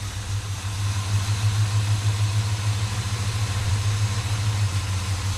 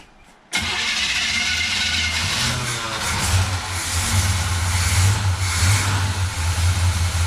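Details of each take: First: 1957 Chevy Bel Air running for the first time in 30 years, after a loose fuel line was fixed and transmission oil added: steady, even low V8 burble at idle with no misses, knocks or ticks; runs good. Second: 1957 Chevy Bel Air first start in 30 years, fuel tank installed, radiator refilled; silence then engine catches into rough, uneven, surging idle; hadn't pulled fuel from tank yet, owner suspects bad fuel pump, but it runs.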